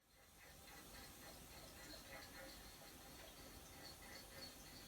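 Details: Toilet with an aging fill valve; a faint, steady, unbroken hiss as the aging fill valve lets water through; worn fill valve hissing.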